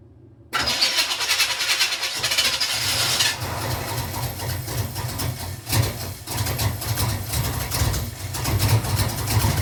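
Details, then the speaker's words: 1986 Camaro Z28 with a 350 small-block Chevy at first start-up after unloading: catches and settles into an uneven, lumpy run with sharp exhaust backfire pops; owner suspects timing, maybe valve train. "It sounds a little rough. And I'm not sure what that noise is cuz I'm new to the small block Chevy game, but it fires off. It's backfiring out the exhaust, which means that we have a timing thing going on."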